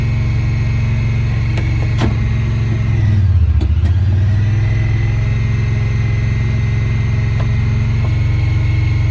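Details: 2017 Honda Pioneer 1000-5 at 1200 miles, code 9-2. Engine idles fast with an uneven, hunting beat and dips in speed partway through. Cause was factory over-crimped idle air control valve plug wires broken inside the insulation; plug replaced and recrimped.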